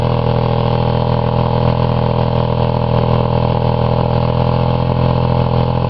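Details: Buick 3800 (3.8) V6 run after blowing up in a crash-derby: oil pan removed, one connecting rod taken out, giant hole in block, little oil; heavy, rough, uneven thrumming with loose pounding, lasted about 1 minute 3 seconds, smoking and spitting oil.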